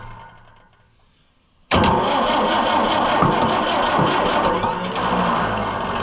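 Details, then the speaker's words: Oliver 550 diesel tractor, injection lines tightened back: quiet, then starter bursts in and diesel chugs hard as if about to fire but never catches; no fuel from number one line, injection pump gummed up and stuck. "Boy, it acts like it wants to go. So close, but yet so far."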